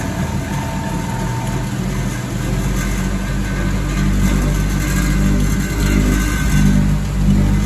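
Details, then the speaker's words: Vintage Hotpoint 1012 spin dryer, possibly pre-1980, on a full spin: a steady low hum that builds as the drum comes up to speed, with no thumping or wobble; it runs well balanced as water is expelled into the pump. "Seems relatively well balanced there. The water's coming out into that pump."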